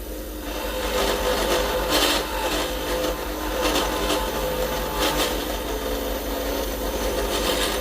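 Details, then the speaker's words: Lathe turning acrylic pen blank once rounded, slow feed after backing off from chatter caused by cutting too quickly or deep: slow, even scraping cut with soft rhythmic swells and no chatter or catches; smooth steady cut. "and that's what i want to hear i want to hear it slow of course"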